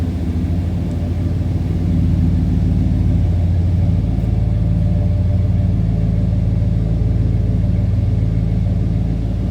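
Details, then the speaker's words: 1968 Ford Galaxie 500 2-door hardtop with a 390 V8, power steering, power brakes and AC, warmed up and down off high idle, recorded at the rear. Deep, steady, smooth burble at low idle with no misses or ticks: normal idle. "And it is running smooth. I'm going to slip to the back too so you can hear it on the lower idle. This car sounds good."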